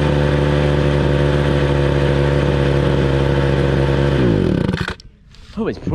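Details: 2015 Hitachi blower with a two-stroke engine, started for the 2020 season: an even buzz holds one pitch for about four seconds, then winds down cleanly. Normal running.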